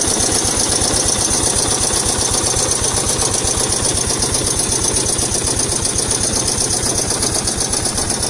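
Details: Yamaha SR 125 single-cylinder engine with 63,000 km, at idle: a steady tapping about four times a second, locked to engine speed, like a bottom-end knock. The owner suspects the connecting rod.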